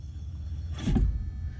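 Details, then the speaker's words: Trailer electric drum brake after axle replacement, wires connected, wheel spun while the brake controller is applied from the truck: brief low thump and scrape as the magnet grabs and the shoes bite, then a quieter release; normal electric brake engagement. "Are you ready? Go ahead. Yep, as you can hear, it locked it up tight."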